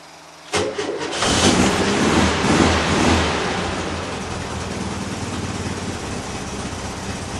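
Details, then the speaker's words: 1975 VW Type 2 campervan, not started for weeks, cold start: brief cranking, then it catches and settles into a loose, lumpy idle with a few pops from the exhaust; cold-start exhaust popping typical of this van. "especially in particular when it's cold you'll hear that pop pop from the exhaust which is why she was named puppy"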